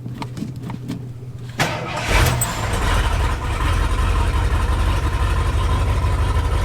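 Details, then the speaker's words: Lifted bullnose Ford truck, first run in four years after carburetor cleaning, restarted on jumper cables. Brief cranking, then it catches cleanly at once and settles into a steady, even rumbling idle; a healthy start. "like that started right up and honestly I have to say it's probably the best the Ford has ever ran it"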